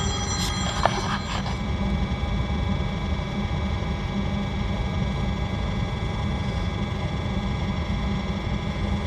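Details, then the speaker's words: RV Hydro Hot water-heating system after DIY annual service: after a few light clicks at ignition the burner settles into a steady, even low roar with no sputter, no leaks or rattles; normal burner operation, a little unburned cleaner smoke clearing. "sounds like it's doing what it ought to do need to get the cover put back on it no leaks or rattles so he's a good thing"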